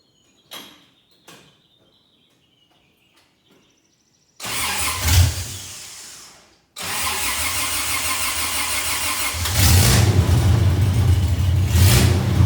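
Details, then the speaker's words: First test drive of 1982 FJ45 pickup with freshly rebuilt 1977 Toyota 2F and H55F 5-speed: clicks, cranks, catches, then pulls cleanly under load up to second or third gear, no knocks or grinding; shifts fine; normal. "I mean truck going like second or third year I think at one point so you know seem to go through the gears just fine everything's working out brilliant"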